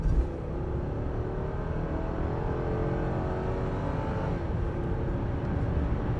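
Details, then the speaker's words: 2001 Lexus LS430 with about 628,000 miles, test drive; engine pulls hard at full throttle then automatic drops a gear abruptly — harsh downshift, owner plans a transmission service. "other than that downshift being really unhappy works you'll service the transmission and see what happens"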